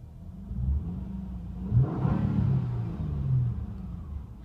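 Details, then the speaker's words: 2009 Honda Accord EX-L V6 coupe, about 60,000 miles, 5-speed automatic, just started: engine swells smoothly from idle to a quick rev and settles back, even and clean with no knocks or rattles; healthy. "still sounds good definitely especially it's pretty quick when VTEC kicks in"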